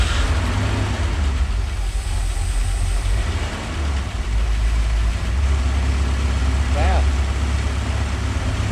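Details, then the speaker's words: Porsche 928 4.7 L 300 hp M28/12 K-Jetronic overhead-cam V8, sat unused 20 years: smooth even low rumble at 850 rpm with no misses, knocks or hunting; normal idle. "idle's perfect 850 RPM so if you know anybody that needs a 4.7 L 300 horsepower overhead cam forsche 928"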